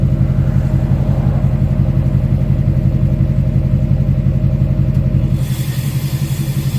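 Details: 2006 Chevy Silverado LBZ Duramax diesel, warm, idling on tune four (DSP5 switch) with new 5-inch straight pipe and flow-through muffler; deep, steady exhaust rumble with even pulsing beat, no turbo hiss; normal idle.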